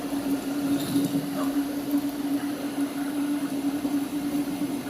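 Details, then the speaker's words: Panasonic water pump running after restoration and reassembly, winding tested normal: even single-pitch hum with light water noise, no rattle or surging; strong suction pulls the hand's skin, so the pump is normal and drawing water. "paprikam dia bila kita taruh seperni ini tangan kita itu kulitnya itu langsung terhisap menandakan untuk pompa air ini sudah normal sudah bisa menghisap air ya"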